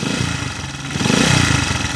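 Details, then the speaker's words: Honda TMX155 that knocks when cold and quiet when warm: rough rumbling rotation with dull clatter rising with revs and remaining as they drop, still heard as the engine shuts off; worn crankshaft bearing. "yung magaspang na umikot dito yung ma- vibrate parang yung kwan niya yal bearing parang yung segal bearing nito mga bro"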